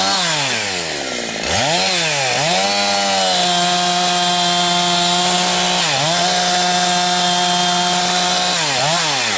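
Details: Husqvarna 362XP Special with wrong ignition coil and Walbro carb, cutting firewood: high scream breaks into ragged gargling burble instead of clean top end near 11,500–12,000 rpm, barely 10,000–10,500; coil limiter cutting in early, four-stroking.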